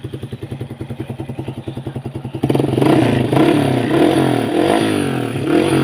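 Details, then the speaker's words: Kawasaki KSR motorcycle with aftermarket exhaust and weak battery, starting up: even pulses, catches, revs and settles smoothly without clatter or misfire; normal running engine. "เครื่องถือว่าดีเลยนะฮะนิ่มๆนะครับ"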